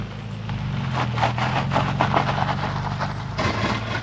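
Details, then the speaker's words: Nissan 350Z drift build rear differential after shimming to lock it (a bark chip fell into the housing during the rebuild and was later recovered). In a slow turn over idle, choppy clunks and tyre scrub come about four a second: the shimmed, locked diff is binding and chattering. "You want to hear what the diff sounds like? It's terrible."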